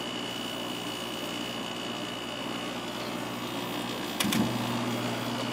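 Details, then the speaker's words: White Westinghouse window air conditioner, cleaned and stored since last summer, running on low fan speed. Quiet even hum with a faint steady high tone and one short click, no rattle or grinding; normal, very quiet running. "It's amazing how quiet these WCIs are."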